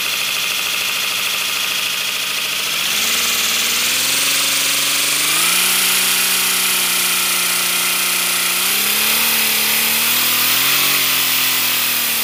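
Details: 3D-printed PLA V12 model engine run on air pressure: loud steady hiss of escaping air with shifting tones and no running beat as it locks up; owner suspects PLA connecting rods melted from heat and bound.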